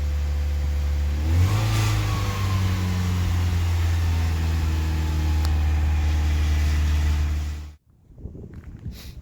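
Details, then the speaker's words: VW Mk2 Golf petrol engine at tick over: raised, slightly uneven idle with a brief blip after about a week of misfiring and high idle; air leak checked first, the cause proved to be a failed coolant temperature sensor. "The Golf's been misfiring and idling high for about a week or so, and what I'm going to do first is check for an air leak, because I think that will be the #1 cause."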